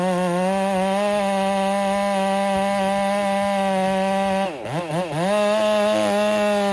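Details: Ported Husqvarna 385 chainsaw, breaking in, tune slightly rich, in very hard oak: a steady high wail holds pitch through the cut, dipping briefly and recovering fast, cutting strong.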